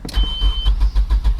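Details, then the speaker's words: SR20DE manual Nissan Primera, unused four to five months, cranking: starter churns in steady pulses about eight per second with a brief beep, no firing; no power reaching fuel pump, owner suspects fuel pump circuit fault. "I would reckon there be fuel there now while I'm cranking as well well there should be power there now while I'm cranking so I think there's something going on with the circuit to run the fuel pump"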